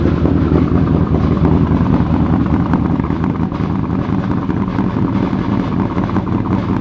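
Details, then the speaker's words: 2000hp twin-turbo methanol Corvette V8, cold start needing help: a loud lumpy idle with a rough metallic torque tube rattle underneath at low revs. It clears above 2,000 rpm, with good fuel and oil pressure and no smoke. "It sounds like hell too, just because of the torque tube, so just deal with it. Just deal with the torque tube."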